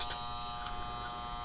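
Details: Residential AC condenser on a no-cooling call: new 40 amp Titan Max contactor with lugs, its coil energized by low-voltage wires while the high-voltage side is disconnected, gives a steady high-pitched constant buzz, no chatter; normal contactor coil hum.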